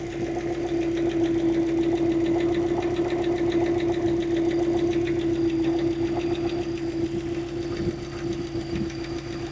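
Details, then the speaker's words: Subaru Forester SF5, warm idle, before repair, began after hard 0-150 km/h acceleration, sound from pulley side: steady even tapping about 3.5 knocks a second; owner suspects timing belt hydraulic tensioner, unconfirmed. "звук мотора сейчас пойдём послушаем моё предположение что это гидронатяжитель ремня грм"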